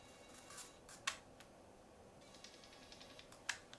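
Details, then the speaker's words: Canon PowerShot SD200 digital camera: two sharp clicks about 2.5 seconds apart with faint ticking as the lens drive moves; lens mechanism clicking, described as common on Canon PowerShots. "hear that clicking pretty common with Canon Power shots okay so I just note a little bit of that lens noise in the product listing"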